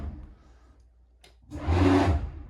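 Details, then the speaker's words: 2008 Jeanneau Prestige 36, annually serviced. After a quiet pause, the bow thruster kicks in with a short, strong whooshing roar and deep hum that runs evenly, so it is working normally and is very responsive. "Working perfectly. Really responsive bow thruster on this boat."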